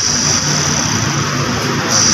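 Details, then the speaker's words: Hyundai i10 electronic power steering (EPS) motor after repair, bench-tested on direct power, red positive and black negative: steady high-pitched electric hum, no grinding, scraping or stutter; strong, healthy motor. "Yan, pumapalo siya guys. Ibig sabihin na malakas yung motor o yung EPS motor."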